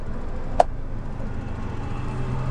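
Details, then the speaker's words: Used Suzuki Karimun Wagon engine idling quietly and evenly with the AC on, a low steady hum and one brief click; no vibration, engine mounts and damping in good condition. "karena sebelum kita hidupkan AC juga dia sangat senyap di kabinnya Hai jadi kondisi peredam dan kondisi mesinnya kondisi mesinnya masih bagus"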